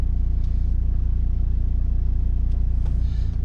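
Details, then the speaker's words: Volvo XC90 idling in reverse: a deep, pulsing low drone as heavy vibration shakes the steering wheel and cabin, worse parked on a slope, from failed engine mounts; the rear mount leaks vacuum and the side mount is suspect. "if you're parked on a bank it's even worse just vibrate it's nuts off you might be able to hear that absolutely vibrating"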